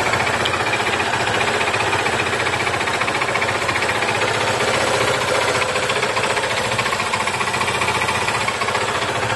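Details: Yamaha FZ 08/08 motorcycle engine at steady speed with hard metallic tapping about three to four knocks per second, metal knocking inside engine that began shortly after an oil change; source not pinned down.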